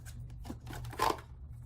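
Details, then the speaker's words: Waterpik water flosser, over three years old, after a salt solution was put in the reservoir: low, steady electric hum with no pumping pulse; motor energized but not pumping, owner believes the salt ruined the motor. "see, I can hear the motor humming, but it's not working,"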